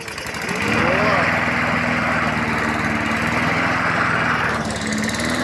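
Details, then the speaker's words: MTD mower, Briggs & Stratton 675 series, after carb cleaning, had hard starting, backfiring and stalling at idle: starts, revs and runs fairly steadily, smoke now gone as oil burned off; stuck rings suspected, replacement planned. "зрозуміло що газонакосилка працює вже не димить це випалювалось масло випалювалось масла"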